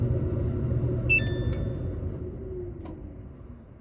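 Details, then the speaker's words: Samsung DVE50R5400W/A3 dryer not heating, pressing start: single crisp click as the heating relay pulls in normally. "I'm going to press start and you're going to hear a click that's the relay turning on"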